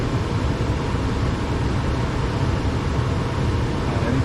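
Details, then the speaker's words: Trane XE90 furnace after replacing the control board with a White-Rodgers 50A55-843 to fix a nonstop blower; burner ignites with steady low roar and blower whooshing evenly, no clicks or rattles, then cycles off properly; normal operation. "Everything ignited, the flame is on, and it's running, and the fan is on."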